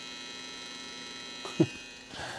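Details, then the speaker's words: Data I/O 2900 programmer setup: steady low mains-type hum with a fine buzz from the eraser's high-voltage supply, normal. "That's the high voltage of the eraser."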